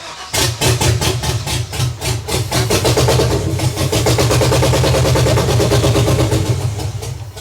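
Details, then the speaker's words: 6.0L V8 swapped into BMW, only some cylinders running; gas poured manually into intake manifold to test fuel versus spark, uneven stumbling beat with dropped pulses, sounds slightly better but same; misfire. "if you're not sure what we're doing here we're pretty much manually adding gas into the intake manifold to see if maybe it's a fueling issue and not a spark issue"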